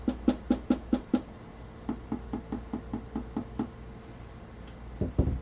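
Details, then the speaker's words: Sony PS-X800 linear-tracking turntable, stock plinth tapped by hand, recorded on camera's built-in mics: sharp taps about two per second each followed by a short hollow buzz; stock plinth rattles, unlike the dead-sounding modified one. "back to this that is extremely dead right there over the stock you should be able to hear the rattling"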